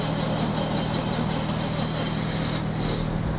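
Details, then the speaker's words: Daihatsu Terios stored about 5 years, after new spark plugs and restored injectors: starts first try and idles steadily, smooth low hum with no stumbles or misfire. "тачка запустилась з першої спроби свічки нові форсунки від реставровані катушки Ніхто не знав не троїть все форсуночки нам допомогли моторчик працює в чудово"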